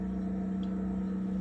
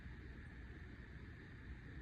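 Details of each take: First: Samsung RF28T5001SR fridge freezer evaporator fan: loud steady hum with low rumble, ramps up when door opens; worn motor lets the blade move in and out, causing the noise; fan part being replaced. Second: Samsung RF28T5001SR fridge after replacing the freezer evaporator coil fan: only a faint, steady low hum with no ticking, scraping or fan flutter; running quietly, noise believed fixed.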